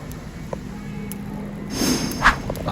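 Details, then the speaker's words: Coil-on-plug ignition coil driven by QDB 6A driver tool at 1 Hz with PWM: faint sharp spark ticks once a second, then a louder crackling snap as high voltage arcs down the black line on the coil body, as when coils break. "That black line, I just heard an arc. That's actually what happens when they break these coils. You get a big massive arc down that black line. I just heard it escaping there."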